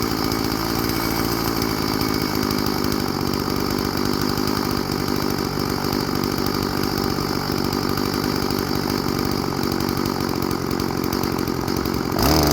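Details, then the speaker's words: Old Stihl FS 36 string trimmer, sat 2+ years, after new clear primer bulb and carburetor tune-up, restarted at idle: steady, even two-stroke buzz holding speed without surging or dying out; runs good, normal idle and running. "all right runs good now let's see if it'll start up when it's warm sweet"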